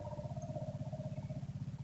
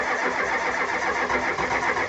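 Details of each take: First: 1985 Ford F-250 6.9 IDI diesel with gelled fuel, electric lift pump priming the filter with the Schrader valve open: steady fast pulsing hum about nine beats a second with a mid-pitched tone, until diesel streams out. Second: 1985 Ford F250 6.9 IDI diesel, 4-speed manual, unstarted 4–5 days at down to −27°C, −17°C today, frosted engine: starter cranks at an even brisk rhythm about ten seconds, never catches; no-start from gelled fuel, no anti-gel added.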